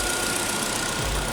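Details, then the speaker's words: GM Chevrolet Cruze with a misfire, engine shaking at idle, high fuel consumption and a knocking noise near the fuel tank under the rear seats. Uneven, shaky idle with irregular stumbles; a misfire. "Lucas cliente relatou que o veículo falha tá tem um falhamento no motor tá e tem barulho no carro tá"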